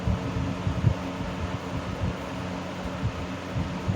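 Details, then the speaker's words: 1970s 16-inch Toastmaster box fan with its original bent blade set, counterclockwise rotation, on low speed: low steady hum with uneven throbbing wobble in the airflow, bad balance on all three speeds; fan blade imbalance. "Pretty much has bad balance pretty much on all three speeds, so that's kind of telling you something right there."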